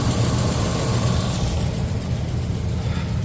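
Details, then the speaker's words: Restored Pontiac V8 on its first drive in 50 years, running without the hood: deep, steady idle with an even burble and no ticking or knocking; exhaust sounds equal, compression not yet tested; normal idle. "all right y'all can hear it no ticking no clocking a little bit doing pretty"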